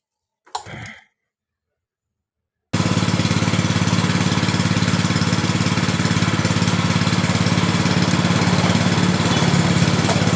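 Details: Yamaha Mio Sporty that died suddenly while riding, new spark plug fitted and compression, ignition and fuel checked normal; at steady idle a hard, even clatter about three and a half beats a second: the cam chain has jumped teeth.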